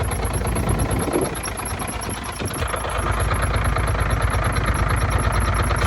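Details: Truck diesel at cold idle after an exhaust repair: a thin, high chirp in time with the crank near the aluminium front cover, heard at start-up and gone later. Cause: crank damper dust boot rubbing the front cover.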